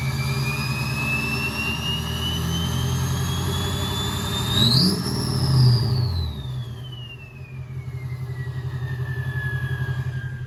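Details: Duramax diesel after a full top-end build (heads done) with a Ryan's Diesel Service 9-blade turbo. It rumbles evenly as the turbo whistle climbs on the rev and sweeps smoothly back down: normal running of the freshly rebuilt engine.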